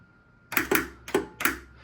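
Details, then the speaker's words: Replaced flipper solenoid in Gen 1 XGC virtual pinball cabinet, table volume off: crisp solid clacks in two quick pairs against a quiet room, each firm and clean; normal solenoid operation. "when you turn the table volume the whole way down so you can literally hear that our solenoid is now"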